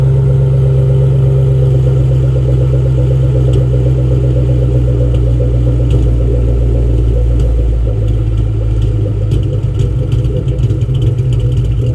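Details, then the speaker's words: Mustang Mach 1 V8 running rough and lumpy with uneven popping misfires despite new plugs and coil packs, traced to faulty front O2 sensors (codes P1132, P1152); misfire bad enough to rattle the shaker while driving. "so you can clearly hear that misfiring the popping the car almost sounds cam but uh anyway that's the sound that you'll expect to hear is the misfires"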